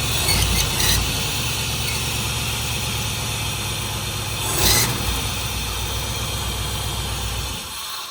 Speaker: at first we thought it was the um the belt but even taking uh both belts off and having no accessories it still made this noise all right belts are gone let's see if the squeal is still here yep